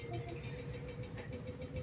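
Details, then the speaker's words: Daewoo automatic washing machine on fast spin (drying). A heavy low rumble throbbing about four times a second; the machine is loud and vibrating during spin, cause unclear. "देखा काम में भी लग गई है और ये वाइब्रेशन भी करने लग गई और साउंड भी इसका जो है ना शुरू हो गया।"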